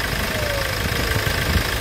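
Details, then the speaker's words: Hyundai Grand Starex diesel idling, VGT turbo actuator vacuum hose pulled, actuator moving up and down: a faint thin whistle slides down in pitch as the actuator drops; whistle indicates a worn turbocharger. "Pull out the turbo actuator vacuum hose It goes up and down When you go down, you'll hear a noise."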